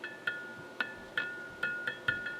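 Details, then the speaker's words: Motorola 68L11 battery-powered tube radio (1.4 volt tubes), restored earlier: each light tap sets off a bell-like ring through the speaker that dies away within a fraction of a second, a microphonic tube. "you should be able to hear that I think um that's what's called a microphonic tube"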